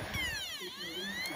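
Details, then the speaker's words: PS4, up-to-date software, clean unscratched disc inserted: thin whirring tone sweeps down and back up as the drive hunts for speed, never settling; disc not read, fixed by cleaning the dirty laser lens. "trying to spin but for some reason um it's not being read so it can't spin up to the appropriate speed"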